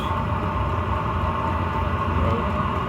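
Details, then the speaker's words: Chinese diesel air heater running normally after restart, first use in four to five months, exhaust through the wall; third digit of heat coming up with nice warmth; even, steady combustion roar and constant fan tone, no sputter or surging. "third digit coming up now yep some nice warmth coming out"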